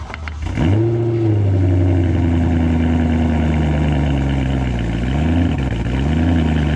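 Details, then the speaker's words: BMW E92 M3 V8 with rear box cut open and modified: cold start, sharp bark then smooth deep even fast idle that dips and settles; normal cold start. "Right, so already on cold start this thing sounds so good."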